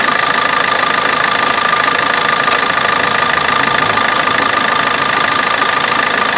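Steady diesel idle with a fast, even ticking of about three clicks a second riding over it; cause of the clicking unknown.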